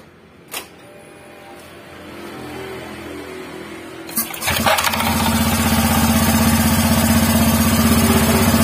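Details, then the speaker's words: Honda Vario 150 scooter after rear-wheel repair to cure a growl: engine catches and settles into a smooth, even idle with almost no noise from the rear wheel; bearings healthy. Normal running. "hampir enggak ada suara bedug"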